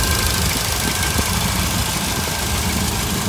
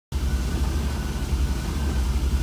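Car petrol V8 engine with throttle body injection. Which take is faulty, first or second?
second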